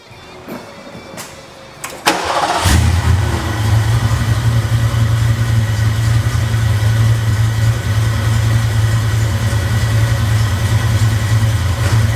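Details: 1989 Ford Mustang GT after fixing a no-crank, no-start condition: a few clicks, short crank, catches at two seconds and settles into steady even idle rumble; normal start and idle.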